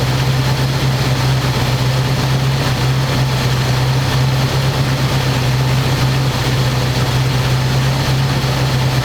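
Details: 1985 square body truck, 454 big block V8, 4-speed, sitting 20 years, after refitting air cleaner and vacuum lines and adjusting idle screw that wasn't touching throttle: deep, even rumble at steady pitch, no misses or stumbles. Normal smooth idle.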